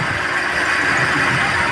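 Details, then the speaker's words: Chevrolet Sail petrol, warm idle: uneven, with a stumble in the exhaust beat, visible shaking and a blinking check engine light. Scan shows P0300 and P0302 cylinder 2 misfire. Burnt valve misfire. "यह car गर्म होने के बाद थोड़ी गड़बड़ करती है। और क्लस्टर मीटर पर चेक इंजन लाइट ब्लिंक कर रही है।"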